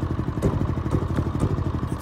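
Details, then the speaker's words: Brand-new Generac iQ3500 inverter generator, about two hours old, economy off, producing no voltage: small engine chugging with irregular clattery pulses and no settled governor note; rough running, owner says it's running really rich. "it's running really rich the chunk is not on its own right"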